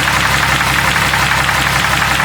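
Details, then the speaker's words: Jeep 4.0 engine at idle, hot at about 200-plus degrees, running pure Lucas oil additive: light, quick, steady ticking; lifters still noisy, suspected lifter noise unchanged by the oil. "For some reason, lifters are still noisy. Golly, that is wild."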